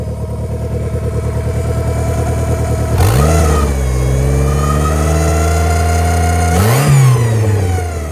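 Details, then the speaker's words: Turbo B18 VTEC (LS-VTEC) EK Civic hatchback: rough lumpy idle, revs surge up twice and settle, idle hunting as the air valve compensates; possible vacuum leak suspected, also a known bad seal, valve cover area suspected. "Oh, that's the sound of the AAK trying to compensate. So, we may still have an issue with a vacuum leak or something somewhere."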